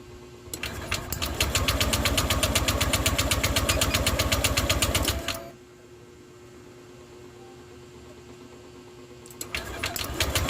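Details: Honda Click 150 scooter, hard to start. Even chuffing at about four beats a second cuts out, pauses, then resumes and won't catch, diagnosed as loss of compression.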